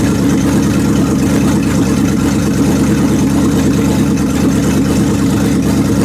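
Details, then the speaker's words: 1929 Chrysler with 360 V8 and cleaned-up 727 TorqueFlite, shifter disconnected and put manually into reverse after topping up low fluid: steady deep V8 rumble loaded in reverse, wheels spinning; reverse engages normally, valve body suspected gummed. "well I disconnected the shifter and I manually put it in reverse so I'm going to fire it up in reverse"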